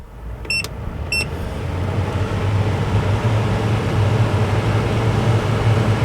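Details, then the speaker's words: MaxxAir/MaxxFan-style RV roof vent fan, newly installed, 4-speed, set to suck (exhaust) mode: two quick beeps, then a low hum builds to a smooth, even drone. It runs normally, not very loud, pulling strong airflow. "as you can tell, it's actually it's not really that loud. You can hear it going, but it's not too terribly loud."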